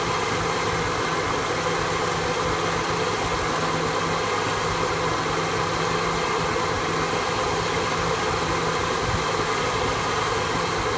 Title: 1974 f100 efi swap rough idle